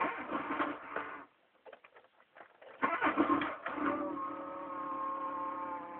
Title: mk3 1.4 mono bad engine sound then cold